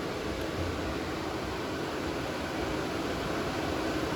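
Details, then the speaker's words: 2011 Nissan Maxima 3.5 L V6, no crank/no start/no communication: steady, even roar of radiator fans at full speed with ignition on; fans stuck on high, fuse blown from a short to ground. "okay guys so back into the hood the first thing that I noticed is that our fan is back on"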